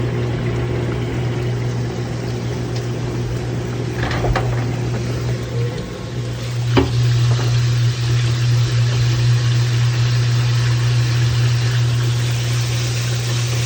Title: Kenmore Washing Machine Repair Manhattan New York, NY-Bad Transmission